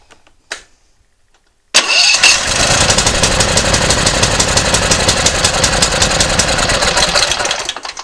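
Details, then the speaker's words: Simplicity ZT2500 zero-turn mower, Briggs & Stratton Professional Series 724cc 24HP: uneven popping about four stumbles a second. Coil ground-wire test made no difference, confirming a bad ignition coil: cylinder misfire. "did not make a difference in it so we know the coils bad so we'll go ahead and pull it off"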